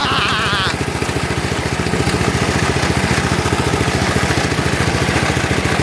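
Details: Lawn tractor, cold start on a cold day: steady idle with a regular scraping pulse of about three or four a second on the engine beat; the cooling fan broke off inside and is rubbing.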